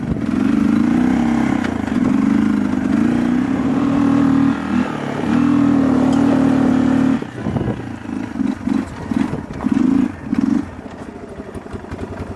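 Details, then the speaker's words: Kawasaki 300 ATV after carburetor fix, choke fully off: steady even drone under throttle, then choppy off-throttle pulses; idle still needs adjusting, runs and drives smooth — normal running. "It still needs a little bit of idling work. If you give it some throttle, it will run. It runs smooth, it drives smooth."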